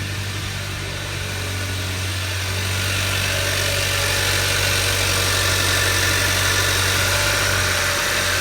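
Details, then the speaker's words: 2011 Hyundai Sonata, high mileage, after repair of a #1 rod bearing spun from low oil: crank journal polished with 400-grit and a new bearing fitted. Warm after about ten minutes of running, it idles smoothly and evenly with no knock. Normal idle. "okay so the vehicles that are running for about ten minutes now so much supply is they pumped up go ahead and wrap it up a little bit normal acceleration seems fine let's park it that sounds good"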